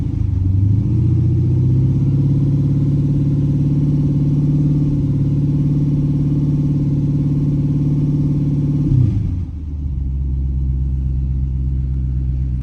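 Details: 2010 Dodge Charger starting for the first time after replacement of damaged heads: the engine catches cleanly, revs briefly, holds a steady even run, then settles to a smooth idle with no knocks or misses.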